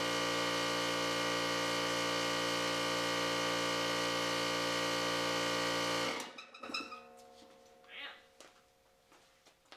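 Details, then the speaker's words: Husky oil-less air compressor pumping up: fast even piston chatter and motor hum stop abruptly at about 60 psi when the circuit breaker trips, leaving clicks and creaks. Motor overheating is suspected, not confirmed. Air also escapes from the intake. "this uh this circuit breaker right here which i think is uh overheating of the motor kicks off and look we're like halfway up we're like what 60 70 psi 60 psi so there's the second issue"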